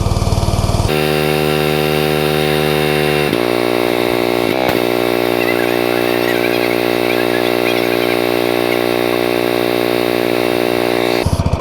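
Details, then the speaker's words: New Simpson ALH 3228 pressure washer with Cat commercial pump, first use after half-choke start and brief warm-up: small engine spools to high steady drone at full throttle, constant speed without surging or misfiring; healthy. "Got it throttled down right now. I'm going to let it warm up for just a few minutes, and then I'll crank it back up to full throttle, and we'll see how it goes."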